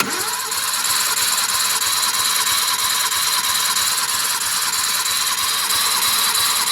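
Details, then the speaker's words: Suzuki DF51V turbo kei minivan, cylinder 1 compression test after valve adjustment (no valve was within clearance; earlier 75 psi): starter turns at an even three beats a second, no lazy strokes; reading reached almost 100 psi, normal cranking compression. "Here's compression test for number 1 after a valve adjustment."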